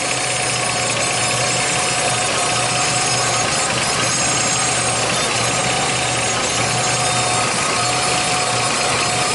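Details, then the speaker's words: 2006 Jeep Liberty, engine running after the transmission was removed three times and the torque converter and transmission replaced: steady mid-pitched buzz and whine that grows louder. "you hear that noise you hear that buzz very serious"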